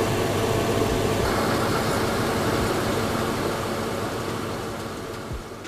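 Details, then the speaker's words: Car after replacing a worn, noisy AC compressor clutch and shimming the plate so it doesn't grab the pulley: engine idles evenly with AC on, engine pitch may change as AC switches off, no screech from the clutch; normal. "We got the AC button on. If you turn that off, you might hear the engine change pitch."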